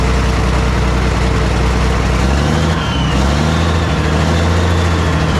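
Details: Cat 977K track loader diesel, with a small exhaust leak, started after the filter was cleaned and the fuel primed: deep even drone dips briefly, then settles to a smooth steady idle; sounds healthy.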